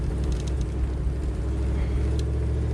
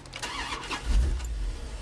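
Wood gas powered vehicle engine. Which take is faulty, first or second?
first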